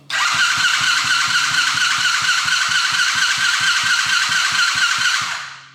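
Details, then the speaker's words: Coolster 110cc dirt bike on its old, wrong-type carburetor with choke on: starter churns with steady compression pulses, engine never catches; owner guesses the carb is badly gunked up, fixed by replacing it with a PZ20. "And it doesn't want to go at all. And I'm guessing the carburetor is just super gunked up."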